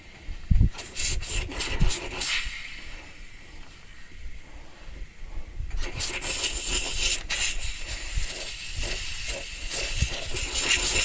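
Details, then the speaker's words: Truck parked at a remote Utah site with an air-through hub system: thin, steady hiss of air leaking from a punctured tire between scraping and handling noises; plugging attempt made the leak worse, not yet fixed. "I made the leak worse, and haven't fixed it yet."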